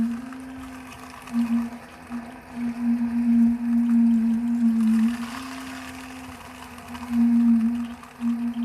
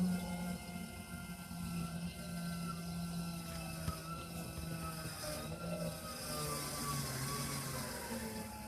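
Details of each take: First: 2021 Alpine RV, Suburban IW60RL on-demand water heater, after the recirculation pump was replaced: a steady pump hum with uneven surging and gurgling swells. Trapped air is still working out of the lines. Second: Suburban IW60RL on-demand water heater with recirculation loop and half-gallon tank in a 2021 Alpine RV, after replacing the recirculation pump and bleeding air: steady low hum with faint water gurgle, pump running smoothly and healthy.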